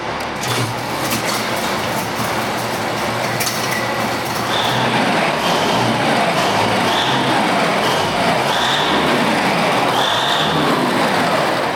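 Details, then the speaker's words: Big Bud tractor diesel, started cool after injector work, engine has some hours on it: a rough, uneven idle with loose, irregular firing over rumbling exhaust and heavy smoke; air is still in the fuel system, and the owner suspects the cool rings aren't holding compression. "So there's still air in the fuel system. And that engine's got some time on it too."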